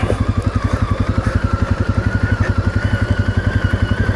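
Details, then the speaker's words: Segway Snarler AT5L 500cc quad descending a steep hill; a steady mid-high CVT whine rides over the low, pulsing engine chug as it holds back; normal CVT engine braking. "You can hear the CVT gearbox whining there. It's giving me engine braking cuz again, this is quite a steep hill just coming around this way."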